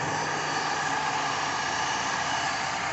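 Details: 1968 Mercedes-Benz 280S, old car that sat around, warming up after start: steady, even hiss-like running with no knocks, ticks or misfires; normal idle.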